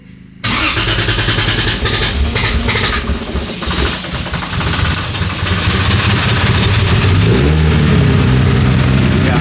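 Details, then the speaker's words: 2JZ-swapped Nissan 370Z Nismo, the next morning: engine fires at once on its first start and settles into a steady, slightly rising idle with no misfire or knock; oil pressure sensor working. "Yeah, it started. Yeah, so it ran. Was that the first start? That was the first start."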